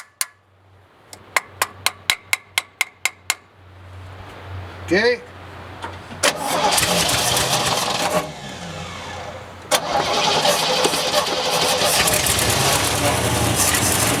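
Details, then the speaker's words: 1967 Chevy one-ton pickup running from an auxiliary fuel tank: cranking clicks, then it catches and runs ragged and surging while flooding; carburetor needle and seat suspected stuck, possibly cleaned out by running. "sorry well she uh runs half F there she's flooding she flooding she probably won't start now but let's start it and let's run the fuel out"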